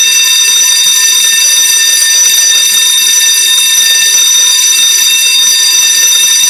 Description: Loud Fire Alarm bell going off. False Alarm , only a malfunctioning.